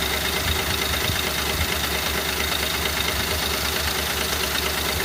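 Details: 2010 Ford Crown Victoria 4.6L V8 idling with uneven light tapping about three per second; the timing chain is loose because its plastic tensioners broke, fixed by replacing the whole chain kit.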